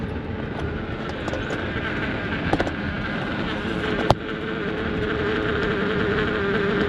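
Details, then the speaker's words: 2011-19 Ford Explorer at about 45 mph, camera against the windshield: raspy, kazoo-like buzz over road and wind noise; wiper cowl rubber flap detached from the hard plastic fluttering, noise stops when wetted with washer fluid. "It literally sounds like a thousand small children blowing kazoo as hard as they can directly in your ear holes."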